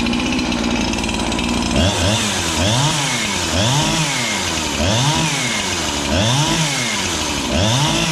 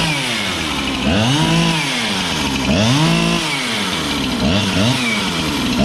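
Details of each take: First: Husqvarna 365 chainsaw with a new piston and cylinder, previously a no-start: fires and revs up and down roughly every 1.5 seconds with a slightly flat rasp. Low compression because the fresh rings are not yet seated. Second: Husqvarna 365 chainsaw with a new piston and cylinder, full throttle, no load: revs surge and warble with a burbling break-up instead of a clean scream. Four-stroking, healthy rich tune, not lean.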